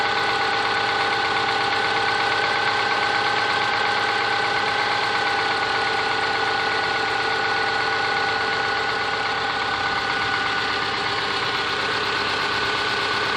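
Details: Subaru Forester SG5 EJ25 at idle: hard, fairly regular tapping of nearly three knocks a second over the engine note; engine knock of unknown origin.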